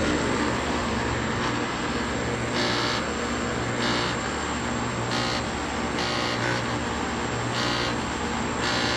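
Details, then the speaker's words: Outdoor AC compressor unit running with loud steady roar and low hum plus hissy rattling bursts about once a second; owner suspects bad electrical board, unconfirmed. "i think the electrical board may be bad or i don't know it's running but rattles just a little bit"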